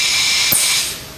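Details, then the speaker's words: BTU analyzer sample conditioning system, water-slip relay dipped in water triggers nitrogen blowback (status red): sharp steady gas hiss cutting off cleanly after about a second; blowback solenoid fires and closes normally. "We are doing blowback. And you see we're on red now."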